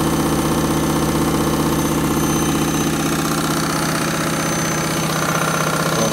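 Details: Candy washing machine on Rapid 30 mini-load program, final spin at about 1000–1200 rpm: loud steady rumble with a rapid knocking rhythm under it throughout; noisier than a healthy drum, cause unclear.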